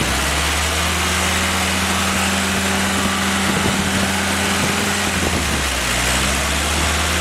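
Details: Willys F-134 F-head fresh rebuild on engine stand during break-in, oil pressure 40–45 psi, water 165°F; steady even drone with slight speed change, no knocks or misses; normal running.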